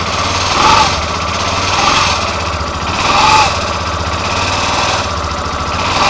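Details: Yamaha Fazer 250 BlueFlex 2013/14, 6,000 km, on first start of the morning: squeaky creak about every second over the idle; caused by the starter clutch, and the noise disappeared after it was replaced.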